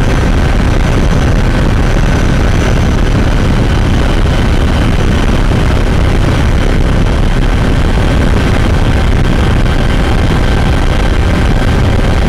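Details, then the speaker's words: 2012 Toyota RAV4 EV with Tesla drive motor at about 65 mph highway speed: loud rough rumbling grind in the cabin from the failing drive motor bearing; warranty motor replacement pending. "uh it really grinds in the cabin and gets very annoying I hope it gets fixed"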